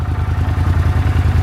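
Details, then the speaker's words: 1983 Honda CX500 Super Sport V-twin, 6,600 miles, ex-museum, cold idle after new spark plugs and digitally synced carburetors; even steady beat about ten pulses a second, no knocks or misses, healthy. "Between new spark plugs and the carburetor is digitally synced, thing starts like a Honda."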